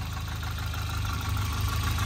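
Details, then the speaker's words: Volvo 940 Turbo with performance coil, idling after restart with oil up top: faint, even light knock under the engine note, more than usual, cause not pinned down; engine knock at idle. "all right cool well that makes it easy it's got a little bit of a knock to"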